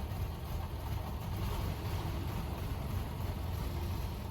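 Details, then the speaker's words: 1930 Ford Model A four-cylinder running for the first time in about seven years: steady even low rumble, no knocks, misses or surging; ran real good, though a water leak was then noticed and it was shut off. "but here it is running for the first time in about seven years ran real good"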